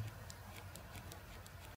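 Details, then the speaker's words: Fake iPhone shaken in hand: quick light plastic ticks in uneven bursts as loose, low-quality buttons rattle in their housing; a real iPhone stays solid and silent. "if you shake the iPhone you can even hear the buttons rattle"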